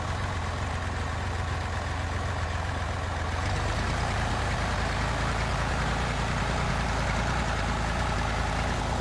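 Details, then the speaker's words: Massey Ferguson 308 loader tractor, diesel, first start after sitting 14 years: steady, deep rumble at idle, even with no knocks or misses; steering not working but reverse works, a few bugs to sort, overall strong-running engine. "Looks like it's going to have a few bugs to work out, but overall sounds like a pretty strong running little tractor."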